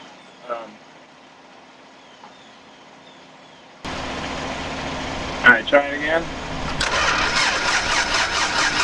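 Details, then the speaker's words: 1980s computerized Dodge (Omni), cranks steadily about four turns a second with no firing: fuel present but no spark; owner suspects Hall effect pickup or wiring. "No spark. But we got fuel."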